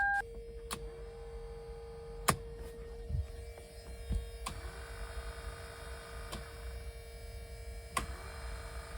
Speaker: I hear it running that thing's quieter than I thought it was going to be